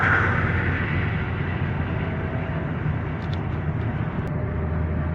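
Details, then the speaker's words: 2023 Toyota Avanza after transmission repair, driving and releasing the accelerator: steady road rumble, the loud drone heard before on lift-off gone, no gear whine rising or falling with speed; back to normal. "So okay na. Wala na yung ingay guys. Back to normal na siya."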